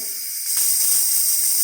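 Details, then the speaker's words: DeLonghi Dinamica espresso machine after full service, thermal block still warming up; short quiet start then strong steady high hiss from the steam wand; normal steam output. "And of course you can hear the thermal block making steam, but we're just going to open this up, test it. Again, it's still getting warmed up, but after a while,"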